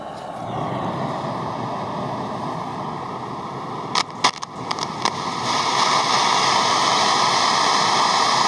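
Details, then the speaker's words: European-made RCA Victor AM/FM/shortwave portable transistor radio: steady rushing hiss with sharp crackling pops that surge louder, present even with volume down, with high current draw. Caused by bad germanium transistors. "Okay, so have a listen to this and have a look at the current draw here. This is bad germanium transistors."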